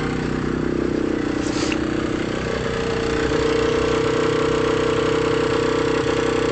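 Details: AM6 two-stroke engine at idle: buzzy idle with a thin steady whine creeping in as revs settle; abnormal engine noise, cause not identified.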